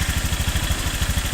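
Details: New Honda Click 150i scooter at 300 km odometer, idling: quick, even patter with a light tick on each beat; ticking noise, cause can't be told by ear.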